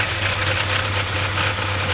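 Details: Mercedes 200TE engine with an uneven, rough idle and a rapid light clatter riding over it; it sometimes stalls when shifted into reverse or drive; cause unknown.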